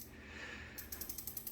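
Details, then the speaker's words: WALLKE X3 Pro e-bike upside down, just after rear hub motor replacement; wheel spun free, light scrape about nine times a second, once per turn; rear disc rotor misaligned and rubbing pads, needs adjustment, derailleur may too. "I can already hear it rubbing. That's going to need adjustment, and your derailleur might need slight adjustment."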